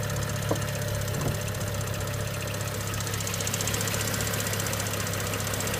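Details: BMW 335i N55 on cold start: even idle with a fast, light tick or rattle riding over it; source not identified.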